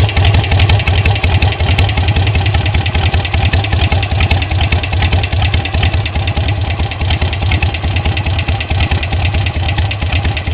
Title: Sportster 883 XL low (ticking sound)